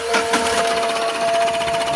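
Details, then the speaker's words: Tata Mega diesel with missing, low pickup, starting trouble, black smoke and check engine light, left seat removed: a fast, regular metallic rattle comes from the nozzle. Suspected cut in a socket or rail pressure sensor wire, not confirmed. Engine knocking rattle. "நாசில்லதான் sound வருது கட கடக்குன்னு வந்து sound வருது."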